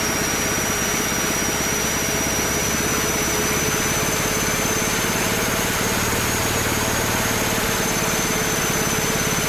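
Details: Small single-cylinder engine on a Mikuni carburetor and a temporary 3D-printed PETG intake manifold: steady, even, busy rattly drone with no misses or surging; runs healthy, with a slight low-end velocity issue from the large carb.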